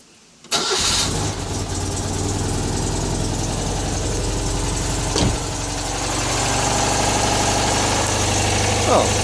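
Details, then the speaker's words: Citroën 2CV (Project Elly) after revival, ignition timing reset with makeshift timing light and a slightly different points box fitted, since factory timing wouldn't run: cranks briefly, catches at once, steady even flat-twin idle, no misses; feels more eager and responsive. "well that sounds pretty lovely. Ka-ching! Well, it's good news. She feels much more eager and responsive."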